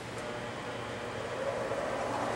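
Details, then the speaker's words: Woodturning bench grinder with a freshly dressed wheel: an even, steady whirring hum with no thumping or wobble and very little vibration or bounce. Normal, smooth, balanced running. "I have dressed the wheel off and this runs nice and steady and smooth there's not a lot of vibration"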